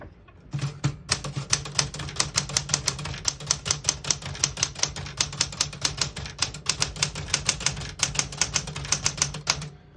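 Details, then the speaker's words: 1971 Smith-Corona Super Sterling vintage portable typewriter: crisp, evenly spaced key strikes at brisk typing pace, no keys skipping or sticking; normal typing. "As you can see, all the keys type nice and none of them skip or stick."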